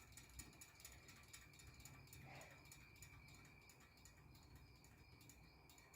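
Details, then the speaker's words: 1960s–70s Superior Electric Model 808 all-metal desk fan, unplugged and coasting down: a steady run of sharp ratchet-like ticks slowing with the blades; cause unclear, blades somewhat off balance. "not sure why it's making that noise I don't think it's off balance or any well it is off balance but I don't think it's off center or anything like that"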